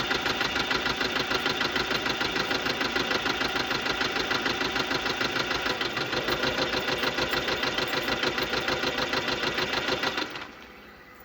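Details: 2015 Subaru Legacy BR 2.0 diesel (1998 cc, 110 kW/150 PS, 146,842 km) at idle: sharp, even ticking about three times a second until shutdown; defective hydraulic lifters in the valvetrain.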